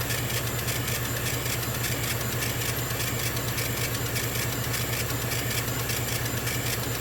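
Steady loud compressor drone with a fast even pulsing and airy hiss over it, no knocking; the air assist running normally during cutting.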